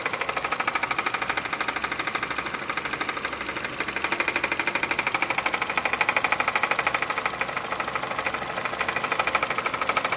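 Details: Hyundai Creta 1.6 idling with A/C off: sharp, very regular tapping about three times a second, felt pulsing by hand; it stops when the A/C is switched on, and the A/C stopped cooling at low rpm when the noise began. Source not yet pinned down.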